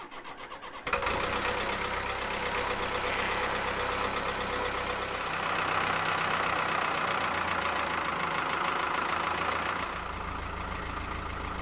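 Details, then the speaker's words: 1970s Caterpillar D3 LGP dozer, Cat 3204 diesel, sat 25+ years, suspected wet stacking: would not start on 12 volts direct to the starter, switched to 24 volts; starter turns briefly, engine catches at once into a steady even idle; normal start. "I got it on 12 volts directly to the starter let's see if it starts on 12 still doesn't want to all right 24 it is let's try it on 24"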